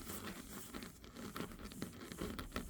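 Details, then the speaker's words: Wheel bearing on a 185,000-mile 2013 Mazda 3, hub turned by hand: soft, uneven scratchy rustle with light scraping bursts, less grind than the others, just contact and an occasional squeak. A worn wheel bearing is rubbing. "But you're going to be able to tell when I turn it. You're not getting as much of a grind. It's more of just like a sh just like kind of you can tell there's contact."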